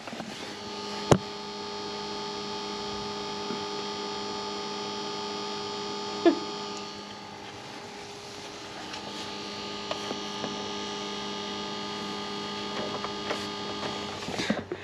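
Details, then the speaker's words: Audi TT Mk1 (8N) electric pump after repair with cleanup and a hammer tap: steady, even buzz at one pitch with no rattles or surging, running normally. "and now the pump's working good job done just a little bit of cleanup a little of a hammer happy days as you can hear it buzzing away now"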